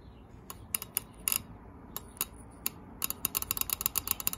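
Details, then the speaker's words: Audi A4 B7 used fuel injector bench click test on a car battery: sharp irregular ticks each time the lead is tapped, solenoid snapping the injector open cleanly; injector actuating normally. "so now this is a good one so i'm testing all my injectors to see if they're good or bad"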